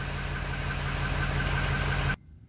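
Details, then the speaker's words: 2005 Ford F-250/F-350, 6.0L Powerstroke diesel, 287,000 miles. After a no-start traced to a leaking O-ring in the high-pressure oil system was repaired and the batteries charged, it starts and idles with a steady, even diesel clatter and no misfire or hunting. "that's what we like to hear purring all beautiful"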